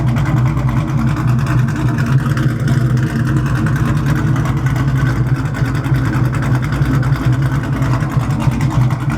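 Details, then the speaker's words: Cammed V8 before a 100-shot nitrous run, manifold leak fixed: deep, choppy, uneven big-cam lope with no knock or misfire; a healthy cammed idle. "Just in case the car does blow up, guys, let's listen to these beautiful cams one more time."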